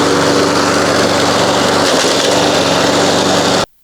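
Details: 1993 Toro Recycler II mower, Briggs engine, after fixing no-spark (bad ignition coils, damaged flywheel, parts swapped from another engine), mowing under load: steady even buzz, no misses or surging, then clean cut-off; healthy.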